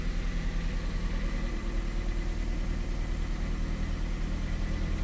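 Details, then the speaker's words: Ford Fiesta cold start with cold coolant, after cleaning worn throttle-position sensor contacts for an erratic cold idle: smooth, even low rumble, slightly high but not surging, TPS1, TPS2 and electronic throttle steady; normal cold idle. "a bit higher but it's not surging we've got pretty steady tps1 tps2 and the actual etc's steady too"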